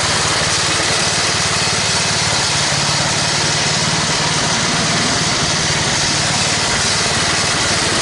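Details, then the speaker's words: Toro 824 snowblower single-cylinder engine after carburetor replacement (previously stalled, hard to start, suspected sticking floats): steady even speed, no surging, misses or stalling, under background hiss; runs with auger without stalling; normal running. "Well, she fired up. She stayed running. I was able to put her in all the gears and run the augur without it stalling out like it used to."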